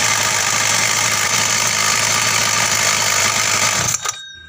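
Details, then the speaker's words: Mini motorbike small engine idling with a bright, tinny jingling rattle from the pull-starter pawls clattering against the flywheel fan and magneto. The rattle can be damped with rubber. "Oke sekarang kita akan mencoba mengakali in bunyi-bunyi kricik kricik atau gemericik ya di daerah kipas atau daerah magnet sebelah sini"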